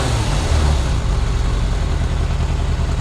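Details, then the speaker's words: 1998 Yamaha YZF600R Thundercat after transmission repair, rear wheel off the ground, carburetion not yet fully tuned: steady even low rumble at idle, no knocks, misses or rattles, no leaks; healthy idle. "sounds good awesome hopefully you guys if you've been following along and you're doing this yourself hopefully you get to this point and it sounds just as good as this does"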